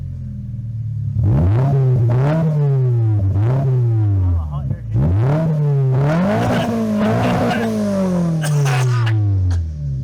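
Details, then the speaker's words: 2025 Toyota GR86 with HKS single-exit exhaust and JDL front pipe/overpipe, wrong donut gasket fitted: loud raspy revving with a harsh blatty edge on each blip, exhaust leak at front pipe flange. "So, we have a big ass exhaust leak because I got the wrong donut flange or the donut gasket, but um Here it is, what it sounds like right now."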